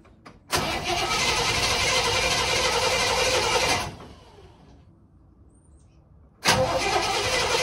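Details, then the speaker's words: 1958 Chevy Impala 348 V8 after years of sitting: two long bursts of even starter cranking that never fire, though the fuel pump works. The distributor cap was found not fully bolted down and the points are suspected. Crank, no start, no spark. "like there's no spark boy that fuel pump's working good look at that [Music] because it's not kicking over at all"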